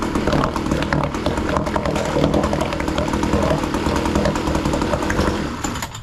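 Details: Hangkai 3.6 hp two-stroke outboard, new, running in water after first start: buzzy high-revving note, steady and even with no misfire or knocking, then drops off; running fine.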